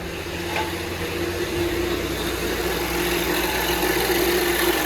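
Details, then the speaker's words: 2019 Volvo XC40 idling: a steady mid-pitched hum rides over the running note from the front of the engine, suspected to come from between the alternator and the spring belt tensioner. "O barulho lá na frente, galera, depois que a gente desligou aqui, o barulho parece ser entre o alternador e o esticador ali, né?"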